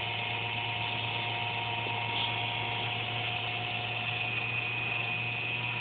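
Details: Computer under a desk, buzzing randomly once or twice a day with performance unaffected; steady, even high buzz with faint low hum; owner thinks it's the fan, unsure.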